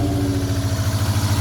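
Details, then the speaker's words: 1987 Sierra Cosworth first start after three years stored: uneven idle with a lumpy pulse about twelve times a second; cylinder number 4 still not firing after switching and cleaning plugs. "No. Hang on. Still number 4."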